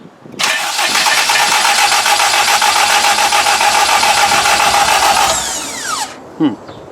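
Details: K20-swapped Honda EK hatch, attempt to fire it after oil priming: engine catches and holds a ragged buzz for about five seconds, then winds down and dies; stalling after start with the throttle plate shut.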